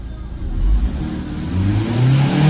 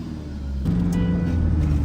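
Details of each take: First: Tata 2.2 150 diesel pickup, after replacing flywheel and cam sensors (previously hard starting, check-engine light, rev limited to 2,800 rpm, no power), codes cleared; now starts easily and revs up and down smoothly, normal free rev. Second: Tata 2.2 150 diesel with check engine light, hard starting and poor acceleration: revs climb then hang flat at about 2,800 rpm ceiling on test drive; limp mode, codes point to cam sensor, crankshaft sensor also replaced.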